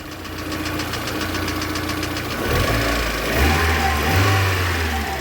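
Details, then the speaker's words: VAZ 2112 petrol engine fully warmed up. It had been misfiring on one cylinder when hot; pressing on a connector steadies it, giving an even idle and clean pickup on two throttle blips. "реакция на ГАЗ Итак нажимаю на корпус без изменений здесь на эту фишку вот нормализовалось"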